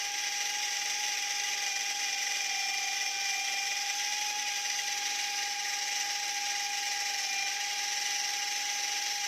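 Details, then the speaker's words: E88 Pro toy drone with one propeller not spinning, casing opened; even high-pitched whine with buzzy rattle behind it as the tiny motor vibrates roughly and runs weak while one area starts getting hot. "Benda ini bergetar, kan? Tapi di sini mulai panas."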